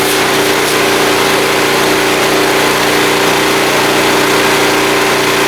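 Steady, even drone at one fixed speed with a constant mid-pitched hum, no hunting or misfire; generator running healthy under load.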